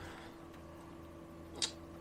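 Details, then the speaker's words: 1977 Daimler Double Six V12 coupe, sitting since 1982, with ignition on and oil pressure confirmed: a crisp tick over a quiet electrical hum as injector groups fire. The injectors click normally; at least some are working. "you hear that that is injectors clicking let's see if we get more injectors on another position yeah that's another group of injectors"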